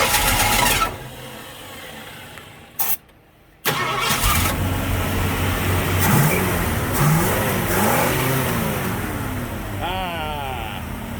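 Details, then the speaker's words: 1965 Mustang V8 first start in a year, after sitting three years, with a primed 650 CFM Street Avenger carb: several seconds of even cranking, a pause, then it catches and settles into a deep, steady, healthy idle. "Listen to that V8 purr. God, oh, love it."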